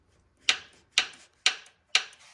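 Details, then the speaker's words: 1950 Packard engine under light load: sharp crisp ticks about twice a second; suspected piston slap, possibly standard pistons in bores measured 3.53 in (maybe 0.030 over), unconfirmed. "This what I hear under light loads."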